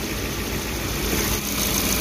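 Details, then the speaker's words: Suzuki APV (Mega Carry) that was vibrating, coughing and down on power, idling after a service with some parts replaced: a smooth, even idle, rpm settled, no stumble or missed beats, now a normal idle. "sudah rpm nya sudah tenang Bro udah normal suaranya"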